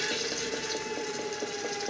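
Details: Gen1 Nissan Leaf motor on a Leaf inverter, about 245 V DC, coupled to the transmission as a load. Steady high whine with light, even ticking as it spins up smoothly and tracks the throttle. Rpm now returns normally.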